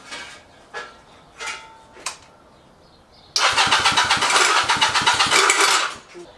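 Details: Chinese clone of Honda Rebel 250 engine on a motorcycle: several weak tries then harsh rapid grinding clatter about four per second from the left case when cranking; faulty starter clutch, replaced with a new one.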